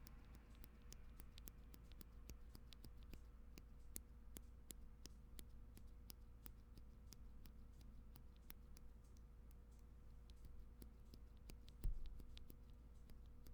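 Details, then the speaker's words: 8X MKII custom TKL keyboard with lubed Tangerine linear switches: sharp metallic ticks on each keystroke. Leaf ping common to MX-style linear switches, especially bad on this one. "you guys hear that there's like a metallic sound you're supposed to make that noise no so almost all linear switches mx-style linear switches have that problem some are more pronounced than others see this one is especially bad as far as i know it is the leaf"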